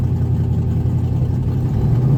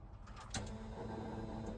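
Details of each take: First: 1991 Mustang 5.0 LX with a Vortech V-1 supercharger and a high-mileage stock shortblock catches and revs cleanly, pitch rising and settling with no misses; it runs properly now. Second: 1991 Mustang 5.0 LX with a Vortech V-1 supercharger and a high-mileage stock shortblock: a click, then a steady ~220 Hz hum under engine noise; fuel filter is new, and the owner suspects a failing fuel pump whine.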